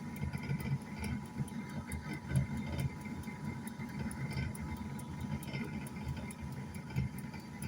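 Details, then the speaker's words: Old air fryer that still cooks but runs noisily: a steady low droning hum with faint irregular ticks, likely a rough-running fan; cause unknown. Abnormal running noise. "Ó o barulho. Horrível, né? Mas ela funciona. Ela funciona e tudo, assa e tudo, mas o negócio é o barulho que tá"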